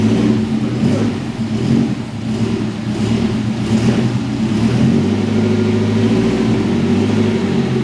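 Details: Mercedes 190E with swapped M111 engine, first runs after the swap: engine catches and settles into an even, steady run with a couple of clean revs, no knocks or misses; sounds healthy.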